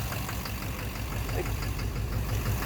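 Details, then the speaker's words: 2009 Chevrolet Duramax LMM dually diesel, morning startup at idle with injectors disabled one by one: dull repeating knock on low rumble, seemingly back/center of motor; injector knock or cracked flex-plate suspected. "Pretty much need to figure out where the sound's coming from. It sounds like the back of the motor. Sounds like the center."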